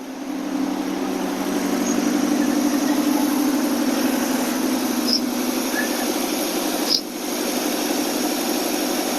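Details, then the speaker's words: AMC 287 V8 Rambler with a carburetor, after exhaust leak repairs and a new fuel pressure regulator. It drops from about 1200-1300 rpm fast idle on the choke into an even, steady idle with no puffing or ticking; sounds healthy. "it sound so much better already no exhaust leak Eng it sounds great"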